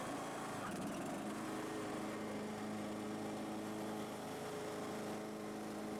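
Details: Husqvarna YTH18542 riding mower after a deck rebuild with new pillars and the old belt reused: steady high engine speed with the blades engaged, an even drone and no belt squeal; the mower still shakes. Normal running with blades engaged.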